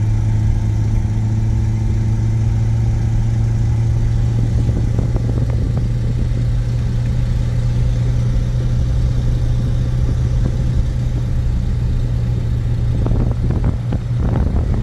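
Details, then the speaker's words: 1950 Buick Super, 125 hp overhead-valve straight-eight, automatic, almost 4,000 lb, driving on the road: deep, steady, boomy drone, louder than before. Exhaust leak at the manifold doughnut gasket after a failed fix attempt; a new gasket must be ordered. "we tried fixing the exhaust leak on it but the doughnut gasket uh decided to I got to order one not something that keep in stock it was a lot quieter before that blue"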